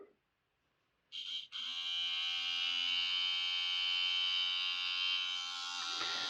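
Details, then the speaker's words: Trix A4 Mallard model locomotive, large mounted motor running alone with middle gear removed: high steady whining buzz, much quieter once the mounting screws are slackened because tight screws clamp the motor and transmit the noise. "that noise is the noise of the mounted motor only. There's no gears engaged. If I slacken those screws, It's a lot quieter with these screws out, because when the screws are in, it's just holding the motor very tightly"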